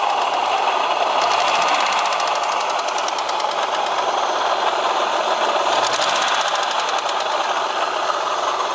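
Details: Opel X30XE V6 running with a hissy note and a rapid light ticking knock riding over it, steady through the clip; a genuine internal knock of unclear cause.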